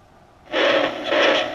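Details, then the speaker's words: Emerson R167 tube radio, circa 1937–38, not recapped, on a variac with signal tracer at the type 41 tube plate: sudden hiss with thin wavering whistles (birdies). The radio has a lot of trouble; tubes still to check. "videos got some serious birdies you can tail but okay guys sorry about that i know the audio is crazy louder it is in my ears anyway but i think it proves the point the radio got a lot of trouble"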